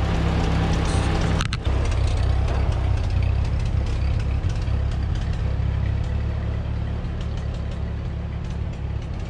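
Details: 1946 Ford 2N tractor, flathead four, after head gasket replacement, driving down the road: deep, steady low rumble, even beat, no misses or knocks. Normal running.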